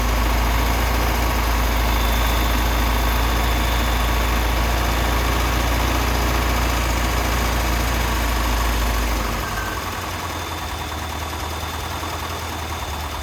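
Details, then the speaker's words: 1988 Lotus Esprit being revived, first start after fuel system and injector work, fuel pumps on a separate battery, hot-wired: deep, loud idle with an uneven lope about 3.5 pulses a second and heavy smoke (owner blames WD-40 in cylinders); rough idle, air-fuel ratio off. "All right. That's a running car."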